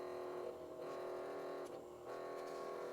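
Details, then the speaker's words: Motor in a 1980s Hitachi stereo cassette deck with the drive belt gone, spinning unloaded: thin steady whirr with faint rough chatter; noisy motor. "But what's that noise? That noise must be the motor turning."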